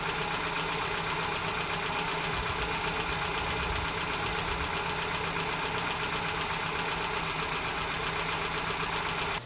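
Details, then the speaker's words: 2010 Hyundai Getz 1.1 at idle before valve clearance adjustment: light rapid ticking over a steady idle, keeping pace with engine speed; valve clearances out and need adjusting. "So ito yung tunog ng makina before ko ito i-adjust."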